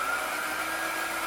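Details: Breville BCG450XL coffee grinder with loss of power: even, airy motor whirr at a constant pitch. Two faulty capacitors on the control board caused it; both were replaced and it tested OK.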